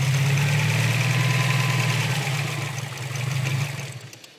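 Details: Subaru STI rough idle, rpm bouncing 500–1500 (650–850 with MAF unplugged): idle beat wanders and loudness swells and sags unevenly; cause unknown.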